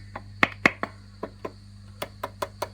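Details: Fender Princeton Reverb: sharp ringing knocks come through the speaker over a steady hum when the tubes are tapped with a toothbrush, even with the volume turned down; microphonic preamp tubes.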